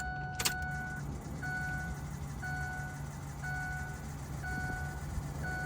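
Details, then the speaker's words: Ford 6.0 diesel no-start, after a missing fuse was installed and did not blow: at key-on a steady high electric buzz pulses about once a second and the wrench light is gone. Finding: normal injector buzz at key-on. "now we have injectors now we have no wrench light"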